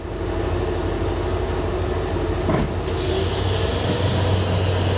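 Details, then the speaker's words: 1982 Ford F150 at idle in park: steady low droning buzz with a hum near a hundred cycles over the idle, loud in park but gone in gear and in neutral; source not identified. "What is that noise? I'm not. It's weird. But as soon as I put it in gear, it goes away. In park, noisy as hell. It's not there in neutral either."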